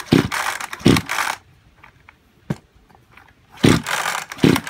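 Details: Kyoritsu chainsaw of unknown junk condition: four quick rasping recoil pulls with no initial fire or catch. Seizure and low compression are suspected, and an overhaul is being considered.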